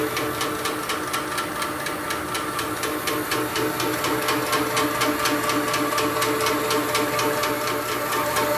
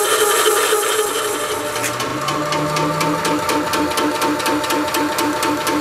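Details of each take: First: Shoebox compressor after belt drive upgrade replacing the original 2011 chain drive: even quick pumping beat with light regular tick and steady hum, significantly quieter than before; normal running. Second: Shoebox compressor with original first-generation 2011 chain drive, before belt drive upgrade: rapid, hard rattling tick about four times a second over the compressor's hum; noisy chain drive.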